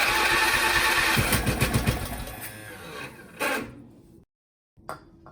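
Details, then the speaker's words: MTD Lawnflite lawn tractor, Briggs & Stratton 12hp single-cylinder, electric start, cranked via a starter trolley on first start-up. The engine chugs unevenly and stalls within about four seconds, running worse than expected. The owner tries choke next because the throttle was closed. "Well, I'd expect it to run a bit better than that, but choke."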